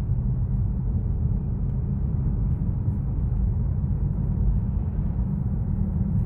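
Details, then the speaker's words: 2014 Honda Vezel hybrid, 115,000 km, dual-clutch gearbox just after release bearing service, on the road: even low rumble with no clunk or jolt at gear changes, where every shift previously jerked like a manual; shifts now smooth. "Он дергался же. Каждое переключение было как на механике. Ну. А сейчас прям чутенько все."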